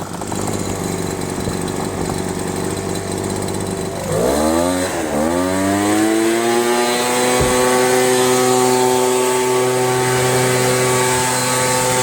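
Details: 25cc Craftsman gas leaf blower after new fuel lines, torn diaphragm replacement and carb clean and adjustment: engine picks up cleanly to a steady, even high-pitched drone, holding speed without hunting or sputtering; normal running.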